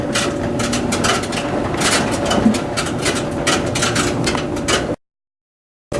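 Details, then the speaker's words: Dryer running a load of towels only: constant drum hum with irregular metallic clicking about three per second through the whole cycle; no metal items inside, so owner suspects a separating, possibly steel-corded belt flailing around. "No, there's nothing with clickety-clackety metal parts. And I think I know exactly what's going on. I think the belt is separating, and it might be one of those metal corded belts or whatever, and it's probably just winging around on everything."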